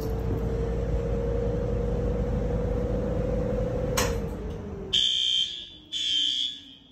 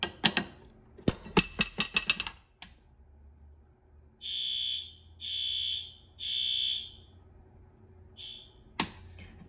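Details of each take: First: Notifier NFS320C panel with System Sensor L-series white horns, newly replaced system in a 1958 elementary school; horns set to high volume yet not very loud, two sharp horn blasts after a low drone during alarm testing. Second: System Sensor L-series white fire alarm horns on a Notifier NFS320C panel in a 1958 elementary school, set to low volume: a few rattly clunks, then three steady, subdued high horn blasts of about a second each; low volume seems quiet and may need raising to high.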